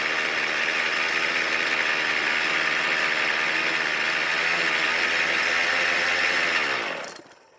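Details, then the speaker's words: Poulan Pro pole saw two-stroke, previously stuck, with a damaged flywheel key; fuel poured into the carb throat to start it. High buzzing rev with a rough, rattly, marbles-like edge, then it winds down. Owner suspects bearing damage from being underwater. "luckily the engine started and ran but the problem is that I don't like the way this engine sounds it just sounds like a bunch of marbles rolling around in there"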